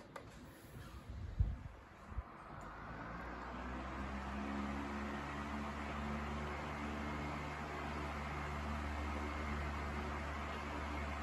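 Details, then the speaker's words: Sears 12-inch oscillating table fan 453.80120, freshly oiled, running on high speed: steady, even motor hum with a low drone, plenty powerful and runs well; a subtle vibration and slight head shake come and go. "Plenty powerful. Seems to run pretty good. Here's high speed."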